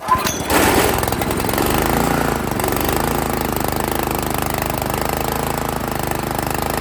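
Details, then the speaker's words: Italian Workman 2 Multimixer cement mixer, Honda GX160, choke on, carb idle screw being adjusted: loud uneven chattering lope that never settles; won't idle, valve clearance found too tight. "see later yeah that's a negative on the idle"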